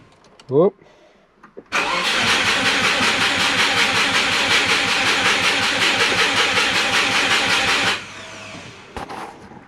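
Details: Turbo Subaru with a DIY exhaust manifold, fuel needle below empty: steady starter cranking at about 160 beats a minute for six seconds, and it never catches. The owner suspects it is out of fuel.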